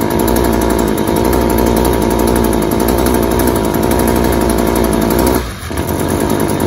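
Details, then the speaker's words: String trimmer at wide-open throttle with clogged spark arrestor screen: rough uneven buzz that sags and dies, running way too rich and smothering with smoke; hard to start; runs well once the screen is reinstalled. "it's not going to run very good at all it's going to be smothering out it's going to have a deep rich bellowing smoke from the exhaust and as you can tell that the gas mix is way too rich"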